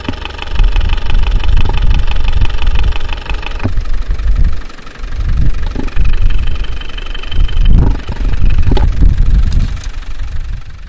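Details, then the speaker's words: Land Rover diesel idling, heard through a mechanic's stethoscope: quick, light ticking over the rumble, loudest on one spot; number one and number two valves on the first cylinder making large tapping. "about a number one, number two valve on the first cylinder seem to be making a large tapping noise. They are moving from one to the other."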